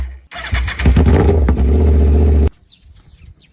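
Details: Yamaha R1 motorcycle; starter whirs with uneven chuffing for about two seconds then stops, engine never catches, crank-no-start; cause suspected, not confirmed.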